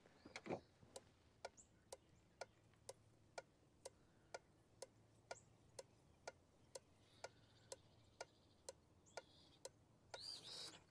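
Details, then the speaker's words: 2003 Chevrolet Silverado 2500HD LB7 Duramax with inoperative glow plugs. New Bosch 70 A glow plug relay on a relay tester passes. Crisp, evenly spaced clicks about once a second with nothing behind them. Normal relay clicking. "So, this one passed."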